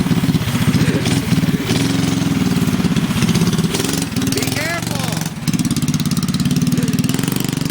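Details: Newly built engine, first run after the final build and clutch installation: steady, even firing pulses at a settled idle with no knocks or misses. It sounds healthy.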